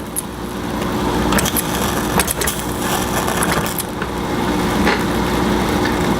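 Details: Rebuilt Jensen 76 model steam engine fired on dry fuel with a repaired seal: quick, uneven chuffing as the flywheel spins up, running freely with no knocks or binding.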